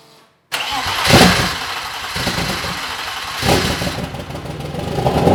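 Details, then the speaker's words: BMW M50 straight-six turbo build, with a new 4 bar MAP sensor and high-output coils, on its first start without coolant: fires quickly, two clean throttle blips, then smooth fast idle before shutdown; runs nice. "It runs nice! Try little bit of thorttle and then turn it off."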